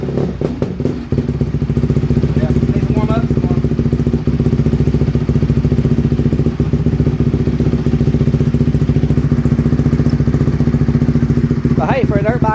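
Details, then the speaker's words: 2007 Honda CRF150R single-cylinder four-stroke dirt bike, just reassembled, cold: uneven thumping, stumbling when revved before clearing, a cold flat spot, likely carburetion; no smoke, choke doesn't help. "I've noticed that if you try to rev it up while it's cold it's just like a flat spot"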